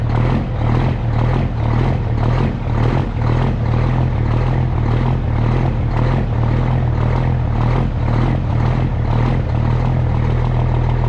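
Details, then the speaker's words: Custom Peterbilt with Cummins diesel, cold start after sitting three days: deep, steady clatter at a slightly raised, even idle as it regulates itself for the temperature and circulates cold oil; normal cold idle. "okay and she apparently has regulated herself here a little bit due to the temperatures and you can hear coal in that oil circulated up in that engine"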